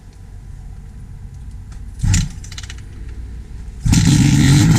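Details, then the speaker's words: 1972 Suzuki GT380 two-stroke triple, cold engine unstarted for 4–5 days; a couple of kicks, then it catches and settles into a fast, even idle with no misfire or rattle; carbs recently jetted and adjusted. "And let's start it, see what it sounds like. Now mind you, this is on a cold motor. I haven't started it probably in, I don't know, 4 or 5 days by the time I rode last."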